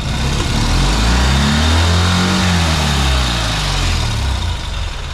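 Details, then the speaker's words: Ural sidecar motorcycle, previously running intermittently on one cylinder, after wiring harness replacement and fitting a new fuel pump (old pump gave 1.7 bar versus 3 minimum; no fuel filter fitted): starts instantly, revs swell and settle to an even, steady twin beat with no misfire. "Maintenant il faut aller rouler puis essayer mais je suis content parce que là ça démarre au quart de tour et le son est vraiment différent."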